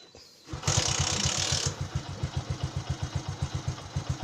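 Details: Carbureted motorcycle with hard-start problem, after spark plug gap and carburetor air-fuel adjustment: starts after brief crank and hissing burst, settles into steady, evenly pulsing idle; runs cleanly.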